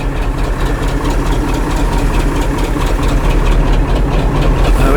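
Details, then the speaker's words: Ford F700/F7000 8.2L Detroit diesel crane truck, started after a year unused without charging the batteries, smoking a little; deep, even diesel clatter at steady idle with no misses; alternator thought to put out about 16 volts; normal idle. "came home from his place just started it up after a year didn't have to charge the batteries just started just like that smoked a little and start up which I'm not massively shocked about"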